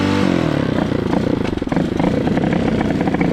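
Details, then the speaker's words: Hawk 250cc motorcycle on choke, then off and half choke: uneven, lumpy idle stumbling and surging; bogs with half choke, owner suspects carburetor or choke giving too much fuel. "See, that's choke on, and it won't run like normal. And that's choke off, so, and that's half choke."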